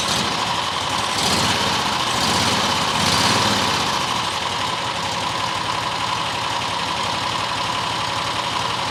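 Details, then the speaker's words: New John Deere XUV side-by-side after new fuel filter fitted: steady, clean idle with no hunting or misses; problem likely debris in the carburetor low-speed circuit. "Idling now. Idling a lot better than it was."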